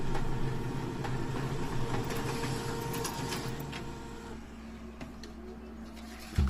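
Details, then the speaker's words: HP Color LaserJet Managed MFP E57540 after repair, cyan toner low, printing a copy of a magazine page. Soft rapid rhythmic whirring and clicking of feed and drive that settles quieter near the end: a normal print cycle. "And then it should automatically start printing as you can probably hear."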